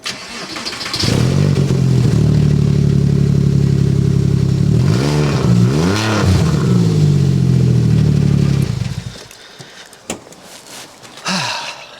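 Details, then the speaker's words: Porsche Boxster 986 S: starts and revs with loud raw booming exhaust swelling with throttle; exhaust blow from clamp fully detached at silencer joint. "But there is a problem, because on the way home, something majorly bad happened to the exhaust, and I'm going to show you now."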